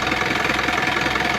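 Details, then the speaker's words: Isuzu 4HF1 engine on a reefer truck, running a while to test the freezer: fast, even puffing and chuffing at idle with heavy smoke, excessive crankcase blowby past worn piston rings; piston rings and connecting rod bearings were later replaced. "So problema lakas ng tubay. Grabe woo grabe lakas ng blue bay ayan oh meron akong mausok"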